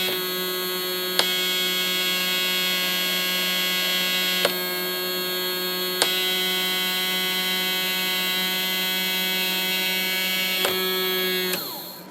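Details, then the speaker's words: ELENCO Snap Circuits Project 586 (Motor Sound with LED II), 6 V: the small DC motor's back EMF heard through the speaker, then also through the whistle chip when the press switch is pressed. Steady, even buzzing with a few sharp clicks; normal motor EMF hum. "We are hearing, of course, without touching the thing, you can hear the EMF through our speaker there. And then when I press the press switch down, we're now hearing it through our whistle chip as well."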